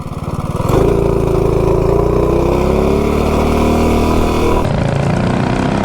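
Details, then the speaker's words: B200 minibike with a modified 196 engine, 40 sprocket and Juggernaut torque converter driver on a full-throttle top-speed run: the engine note climbs cleanly through the revs with no slip or chatter, then shuts off at about 54.5. It engages smoothly through the RPM band. "But, uh, yeah, the Juggernaut definitely engages a lot smoother through the RPM band."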